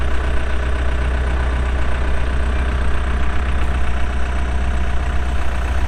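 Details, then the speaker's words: 2007 Case 580M Series 2 backhoe, pre-emissions diesel, 3,812 hours: deep steady rumble with even unbroken rhythm, no knocks or hunting; healthy idle, starts and runs good. "starts up and runs good Hydraulics are strong"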